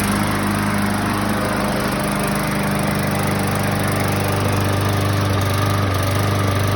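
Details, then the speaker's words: 2015 Yard Machine mower, Briggs & Stratton 140cc, which ran seconds and died, after carb-cleaner spray: uneven stumbling beat with occasional skips but keeps running; misfire from a missing/leaking carburetor o-ring. "as you can hear it's missing a little bit uh but it does run now before that it would just run in for a couple seconds and shut off"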